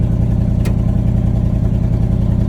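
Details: 1979 Chevrolet C30 square-body truck, with no fuel tank: a steady, deep, even V8 rumble with a smooth firing rhythm and no knocks or misses. Normal running.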